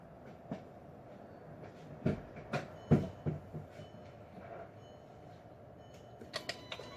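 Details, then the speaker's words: 2006 VW Passat 2.0 turbo cranking during a compression test on a no-start: the engine spins fast and loosely with no compression pulses, only loose clacks. The intake camshaft was not turning; a snapped timing chain was found and replaced. "gonna check the compression because this thing sounds really loose like really freely"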